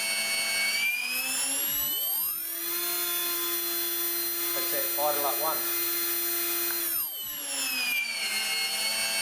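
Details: RC helicopter with Scorpion motor on YEP/YGE ESC in governor store mode, pitch added: high whine spools up, then holds one steady pitch while the rotor runs evenly; governor keeping headspeed constant.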